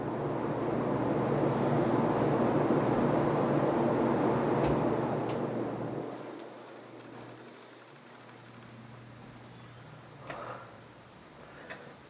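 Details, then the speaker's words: Casablanca Cascade Gallery 25011D ceiling fan, c.1992, on reverse high speed: steady low motor whine under airy blade rush; normal, plastic housing directly connected to motor reflects the sound. "It has a cool whine sound. You can only hear it on these because the plastic is directly connected."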